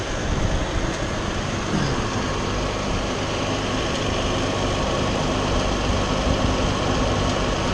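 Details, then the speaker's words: 2009 Nissan Murano idling after a major power steering leak fix: high-pressure washer and steering hose replaced, system bled, no leaks at the pump; steady low hum with no pump whine or groan, steering working well. "Got the high washer, steering hose changed, no leaks, system's bled, steering's working great, feels good, sounds good."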